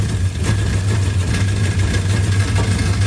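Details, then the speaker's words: Freshly installed 360 Magnum V8 in a Coronet, first start-up warming at idle: heavy knock about twice a second, fading when pressed by hand; flex plate bolt not tightened. "y hear that knocking that don't sound good watch my magic fingers here kind of goes away the flex plate Club is not tighten"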